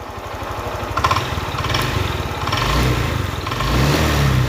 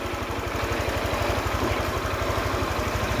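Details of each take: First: Honda Click 125i scooter after water pump replacement, with stalling at idle and no acceleration; valve adjustment didn't help, fixed by resetting values: idles evenly, revs cleanly and settles without stalling; remaining noise is the clutch bell bearing, judged acceptable. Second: Honda Click 125i scooter after water pump replacement and value reset fixing idle stalling: even idle at about four pulses a second with a faint rough rumble from a worn clutch bell bearing, judged acceptable, customer to be informed.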